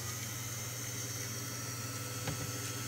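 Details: 1942 USN ARC-5 command set receiver (1.5-3 Mc) original dynamotor after bearing repair, run without high-voltage side connected: steady low hum with thin constant whine, no rubbing or scraping; dynamotor spins smoothly.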